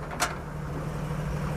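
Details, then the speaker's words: 1950 Chevy truck's old six after floor rust repair, choke off and oil pressure at about 35 psi, charging 14.6 V: a brief clunk, then a low, steady, even idle with no knocks or misses. Runs smooth. "It's a ripper. I knew it would be. I knew it would be."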